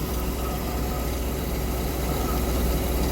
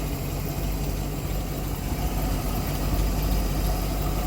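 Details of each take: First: MerCruiser 898 V8 after intake gasket replacement, initial timing set at 0 on tape: steady slightly quick idle with even low rumble at about 900–930 rpm; idle too high, to be turned down to around 700. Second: Mercury MerCruiser 898 boat V8 after intake gasket replacement, idle turned down from 950 to about 750 rpm with timing at 10 degrees: low steady rumble, no misses or knocks, smooth normal idle.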